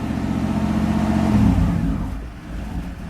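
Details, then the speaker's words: Car just started after battery replacement; held on throttle, revs sag unevenly toward stalling and won't hold idle, muffler also rusted through; rough unstable idle, owner suspects stuck idle air control valve needing reset. "maybe the IAC valve was stuck this thing is falling apart Florida car saw it here first it's running rough now"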